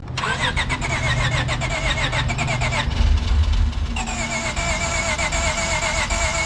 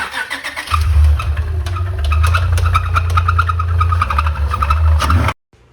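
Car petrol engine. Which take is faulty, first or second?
second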